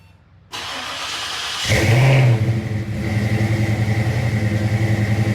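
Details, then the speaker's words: Fox-body V8 with Trick Flow Stage 1 cam, roller rockers, aftermarket heads, shorty headers, X-pipe and Flowmasters with 2.5-inch tailpipes, after oil pan fix: cranks, catches with a quick rev, then settles into a loping, choppy idle; normal. "This is a TrickFlow Stage 1 camshaft with 1/6 roller rockers, Canfield heads, X-pipe, Flowmasters 2.5-inch tailpipes. That's pretty much it, and shorty headers."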